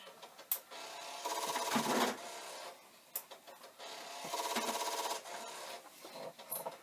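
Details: Commodore 1541 disk drive for the C64 under repair: bursts of rapid, gritty knocking about a second long as the head moves, with quiet gaps between; cause unclear.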